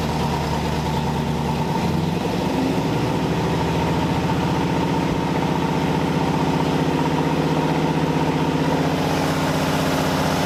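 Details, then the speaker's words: Freshly built V8 in a 1981 Cutlass Supreme at cam break-in: even steady idle with one quick rev, no knocks or misses; healthy fresh engine. "yeah honestly I can't believe that I've built this engine and it sounds great"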